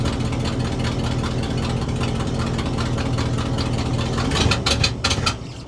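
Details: 1967 Ford/Seagrave fire truck, large petrol engine fed by gravity from an auxiliary tank straight to the carburetor; settles into a steady, even, low-rumbling idle; running normally on the temporary fuel feed.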